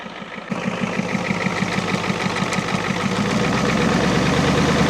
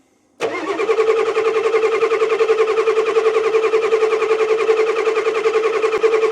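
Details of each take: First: 1989 Ford F250 7.3L IDI diesel, first start after sitting 6–7 years, temporary fuel supply: steady even clatter about three firing pulses a second, smooth, puffing a little smoke, no misses or knocks; normal idle. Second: 1989 Ford F250 7.3L IDI diesel that sat six years, cold winter day: even cranking for about six seconds with no catch, then it stops. It starts hard because air is still in the fuel lines and it isn't taking fuel.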